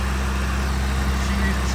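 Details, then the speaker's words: 1984 Ford Mustang SVO, four-cylinder turbo, 5-speed manual, first start after a new fuel pump, before coolant is added: steady, smooth, even idle with no knocks or misses, running nicely. "running real nice. All right, guys. Well, as you saw, the SVO does start."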